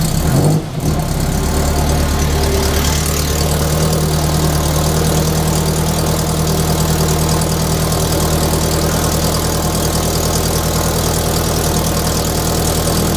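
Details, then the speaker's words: Scion FR-S with an unequal-length aftermarket header: steady idle with a faint quick puffing tick on the exhaust note, from a leaking header over-pipe gasket. "it doesn't sound all that bad but my wife drove it down the street and you could hear it it sounds awful we do have an unequal length aftermarket header on it with these the over pipe tends to leak a lot"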